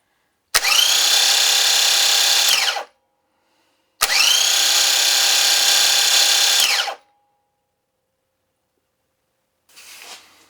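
Two bursts of high electric whine that cut off and wind down unusually fast, which points to a starter with dragging bearings. Cause suspected, not confirmed.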